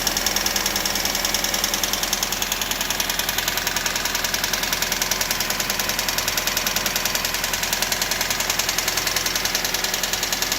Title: 99 rav4 fast ticking noise?